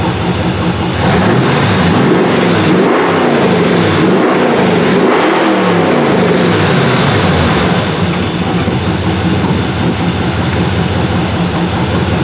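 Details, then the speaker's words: 1977 Malibu low-mileage machine-shop-built engine during cam break-in, oversized 770 carburetor; engine blips up and settles back to a lumpy, loud idle with no knock following the revs; owner says apparent rod knock is just the audio; healthy. "It seems like I'm always hearing rod knocking. So if you're hearing that, that's not what it is. This motor is a low mileage motor. It was built right."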